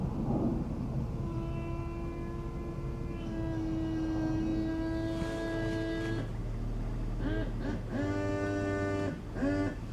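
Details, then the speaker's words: 2004 one-owner BMW Z4 3.0 electric convertible top operated in shop; strained, wavering motor whine rising and falling as the top moves, pump labouring, suspected low on hydraulic fluid. "Oh, that doesn't sound good. Slow on fluid. Lovely."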